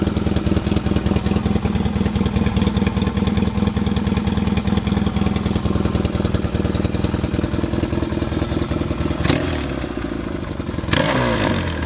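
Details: 1979 Yamaha XS650 twin freshly reassembled after engine repair, mixture screws not yet finally adjusted: steady, even idle with regular firing beat and mild top-end clatter, handling noise near end; normal idle.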